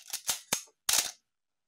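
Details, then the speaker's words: Canon A-1 after a full clean, lubricate and adjust service, fired at lower shutter speeds: crisp, clean clicks and a slower double-clack with an even gap, no squeak. Healthy shutter and mirror operation. "yeah you can hear it how it sounds this is a nice healthy a1"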